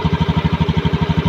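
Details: Honda Scoopy (ACG starter) scooter after cleaning the rusted side-stand switch that caused weak starting: steady even putter around eleven firings a second; clean regular idle, nothing knocking.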